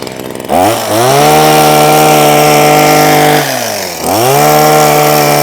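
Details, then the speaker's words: Husqvarna 123HD60 hedge trimmer, long unused, after new carburettor diaphragm: crisp, even two-stroke buzz that dips and recovers straight away when blipped, no misfire or hesitation; running healthy. "I've now got a nice Husqvarna hedge trimmer. Turn it on. Nice, man. Well, nice. We like that quite a lot."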